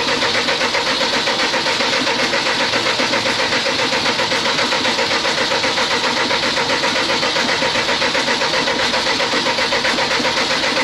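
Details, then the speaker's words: CAT (Perkins) C4.4 diesel: steady starter cranking about four beats a second that never fires; injectors leaking back about 90 mL per 30 s versus 25 mL maximum spec, so no start; injectors need replacing. "all right just to give you guys a quick snippet of what it's doing it's it will crank it just will not start"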